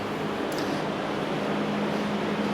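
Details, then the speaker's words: 1971 Lakewood/Country Aire P-23 3-speed box fan with McMillan motor: steady even hum with smooth airy rush and clean low tone, no rattles or ticking; motor runs nice and smooth, normal running. "I have the GE version but this motor makes it as you can hear it runs nice and smooth"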